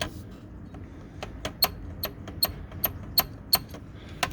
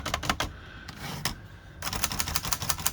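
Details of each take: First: Hermes Rocket typewriter on final checkout after service: steady sharp keystroke clacks about three a second, each with a thin high squeak on the space bar stroke; squeaky space bar from a dry rubbing guide piece. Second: Hermes Rocket typewriter after repairing a squeaky space bar with red oil: crisp keystrokes in quick bursts, clean clicks with no squeak or dragging, fixed.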